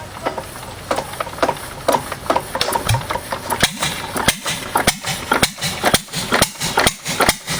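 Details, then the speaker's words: 6 HP Witte diesel-electric single-cylinder engine, about 80 years old, hand-cranked with exhaust valve held open, after valve work, oil change and fuel system cleaning: slow thumps speed and slacken unevenly a few seconds, governor hunting before settling. "Governor kind of hunts for a couple seconds until she uh gets in for a good rhythm. Starts pretty easy though for being 80 or so years old."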